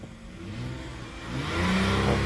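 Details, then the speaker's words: Towed-in car with transmission complaint: in gear, engine revs freely rising in pitch with no drive, after loud transmission whine; car won't move, cause unconfirmed. "stepping on the gas in gear. No move, guys."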